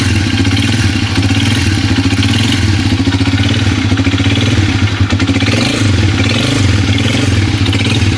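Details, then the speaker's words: Motoposh Pinoy125 motorcycle single used for water delivery, noisy after only a tune-up: a busy metallic clatter rides steadily over the exhaust beat, from a worn, knocking connecting rod; the engine will be opened up. "So mga idol, meron tayo ditong bibiyakin na makina kasi yung connecting rod niya maingay na. Ito yung tunog ng makina niya."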